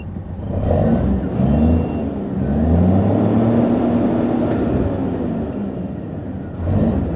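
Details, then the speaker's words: Japanese-import tractor-unit truck, factory E13 (480) diesel, ZF semi-auto gearbox, 800,000+ km, no smoke: rumble climbs briskly in pitch and settles back smoothly on rev, no misses or knocks; revs freely, healthy. "เครื่องเดินเบาอย่างนี้เลยนะนิ่งๆอย่างนี้ตลอดติดเครื่องได้ทั้งคืนก็อยู่เงี้ยเครื่องไม่มีเร่งช็อปเบรกไม"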